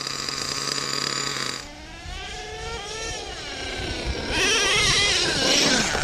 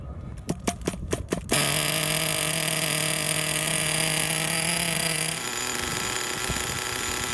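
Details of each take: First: Used Redcat Earthquake 3.5 1/8 nitro truck, .21 big block: small engine revs unevenly and bogs when the throttle opens, needle at about 2.5 turns out; owner plans to lean it with a pinch test; bogging from untuned low-speed needle. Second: Redcat Earthquake 3.5 nitro truck with .21 Big Block engine, on 20% nitro fuel, first start after repairs, carb idle screw and mixture later adjusted; sharp pops, then high buzzy steady scream held evenly before easing off; idled ten minutes without stalling; normal nitro running.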